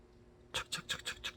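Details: New 8-speed entry-level road bicycle with correctly adjusted derailleur: quick dry, scratchy rasps about six a second when the rear is shifted to the outermost sprocket, chain rubbing from cross-chaining.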